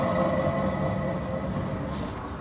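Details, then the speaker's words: Chery Emgrand front wheel bearing after the front suspension arm bushings were replaced; the hub spun by hand gives a steady, strong droning hum that fades as it slows, pointing to a worn hub bearing due for replacement. "сейчас еще надо перерисовать ступичный подшипник и заменить втулки стабилизатора потому что они тоже развития и можно устанавливать рычаги с новыми салям блоками слышно какой сильный гул"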